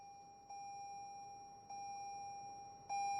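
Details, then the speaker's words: 2020 Toyota Corolla SE in Drive with seatbelt unbuckled, after 30 seconds: three steady high-pitched chimes about 1.2 seconds apart, each louder; seatbelt reminder chime. "here comes the ding as long as I'm in Drive"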